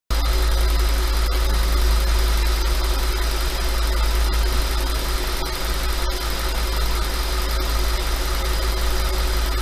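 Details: 5.2 FSI engine at slightly raised idle: loud deep idle with a loose, uneven rattle riding on it; owner asks if normal and suspects piston slap, unconfirmed.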